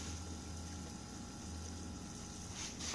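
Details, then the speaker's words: Toyota Prius (20 series) with P0A93 after replacing the inverter electric coolant pump: a steady, smooth, strong whir with coolant audibly bubbling through, no rattles or surging. This is normal operation. "В общем поменяли помпочку жужжит мощно мощно Все крутится прям прям в этом булькает слушайте как булькает вот так должно быть"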